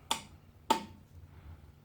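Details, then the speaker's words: 1980s Honda ATC200 three-wheeler, neglected and parked for years: pressing the start button gives two sharp clicks about half a second apart as the starter relay triggers, but the starter motor doesn't crank; next step is testing at the starter relay/solenoid. "Cool. Well, that noise is the starter motor relay triggering, but of course the starter motor's not cranking over."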